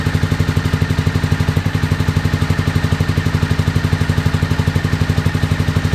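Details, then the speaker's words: 2001 Honda VFR Interceptor V4 after nearly a decade in a barn, old fuel, FI light on; pipe heat test suggests only cylinder 3 fires, 1, 2 and 4 dead. Slow heavy regular thumping about four per second: running on one cylinder. "I deduced that uh the what is it one two and four cylinders are not running I think we're only running on the number three cylinder"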